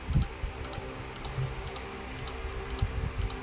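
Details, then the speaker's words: Fujima MMA 315 welding machine at power-on: the relay clicks repeatedly, two to three sharp ticks a second, over a low electrical hum while the unit keeps blinking; suspected power supply IC and PWM control board faults. "It blinked for a long time. You can also hear the relay constantly"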